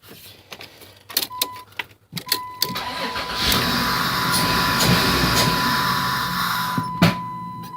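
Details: 1996 Dodge Grand Caravan SE 3.3 V6 FWD, 243,000 miles, replacement computer, new starter and ignition switch: cranking clicks, catches with open-intake hiss (air duct removed), runs briefly and sags toward stall; won't idle, cause unconfirmed.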